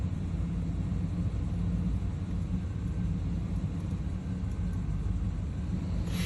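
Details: Chevy 350 TBI V8 that dies in gear, after EGR valve, plugs, wires and fuel filter replaced: deep low idle with uneven lumpy beat, rough idle, cause not evident.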